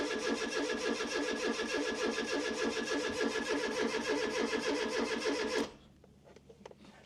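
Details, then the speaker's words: 1996 Fiat Cinquecento Sporting, 26,000 miles, abandoned seven years: even starter cranking at about 3.5 beats a second that never catches, as no fuel pump can be heard and no fuel reaches the engine; the pump is badly gummed up and suspected to have failed. "Woohoo! That's quite gummed up. Potentially this is the reason why this car was parked up that fuel pump."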